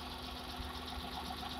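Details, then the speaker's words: Hyundai Eon petrol engine idle during cylinder drop test: removing one spark plug cap makes idle lumpy and shaky with vibration, showing that cylinder's ignition and spark plug work fine. "so I'll be removing one of the spark plug cap like this and notice the idle of change okay all right so you'll notice that the idle change all right like that you see the vibration"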